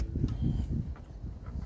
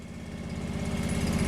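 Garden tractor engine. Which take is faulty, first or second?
first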